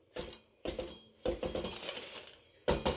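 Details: Suzuki GSX1400 brake disc, wheel removed and the disc shaken by hand: bright metallic ting from a loose floating disc, play from worn bobbins; disc judged dangerous and due for replacement.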